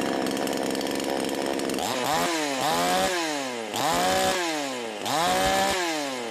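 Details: V Pro 5200 two-stroke chainsaw run after magnesium shavings were left in the crankcase, air filter back on, started on choke: fires, then revs up and drops back repeatedly with a clean crisp note; runs normally before dyno test.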